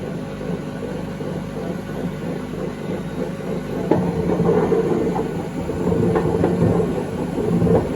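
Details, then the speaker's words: 2012 Beko WMD261 washing machine on spin and drain, pump draining fine: loud rough rumbling racket with uneven rattling beat swelling at high spin, as if washing undissolved tablets; worn drum bearings. "Pump runs, drains fine. But it sounds like it's washing some undissolved carbon tabs."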